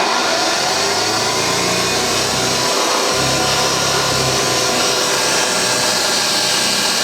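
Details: Refurbished vintage Hoover 612 upright vacuum running normally on carpet, picking up crushed Weetabix test dirt in one go without ripping the carpet; steady, even motor hum with a soft low purr and constant air rush.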